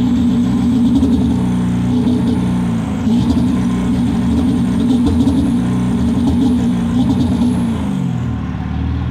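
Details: 7.3 PowerStroke diesel at full throttle, blowing blue smoke: deep roar with an uneven, lumpy firing beat instead of a smooth pull, misfire under acceleration.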